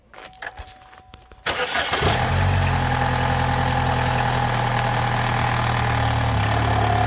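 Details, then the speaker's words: 2011 Chevy Malibu 2.4L Ecotec after cam phaser/cam sensor work and codes cleared; quick crank into steady idle, sounding better than before, with a light rattle on top, cam/timing chain noise; timing chain rattle. "Um, believe it or not, this is actually better sounding than uh it did before. Just don't pay attention to that cam chain noise."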